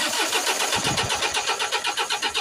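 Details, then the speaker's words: Mercedes Sprinter 2.1 diesel with code P0087 (fuel rail pressure too low), rail pressure at zero: steady starter cranking at six to seven turns a second that never fires; no fuel reaches the rail, and a blown fuel pump fuse (no. 6) was later found. "I cranked the engine while I'm opening the fuel pressure rare see if we're going to get any fuel coming up there's no fuel at all"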